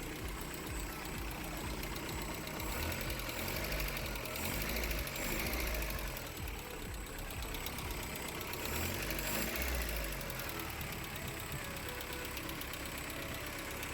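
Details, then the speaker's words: Freshly rebuilt VW Golf Mk1 engine, valve stem seals replaced, first start at operating temperature: a light, quick ticking of about three a second over a steady idle. The hydraulic lifters have not yet built oil pressure. "Yes, the lifters is making a ticking noise, but that's because it needs to build up oil pressure."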